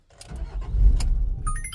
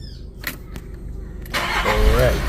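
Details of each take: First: 2015 VW Amarok with P0016 hard-start and long-crank complaint after another shop's repairs: engine fires with a rough surge then dies within a second; starts then stalls, timing issue suspected. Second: 2015 VW Amarok diesel, after re-timing camshaft and injector pump to fix hard starting/long cranking and P0016 from prior shop: brief crank, catches at once, settles into even idle; easy start, fault fixed.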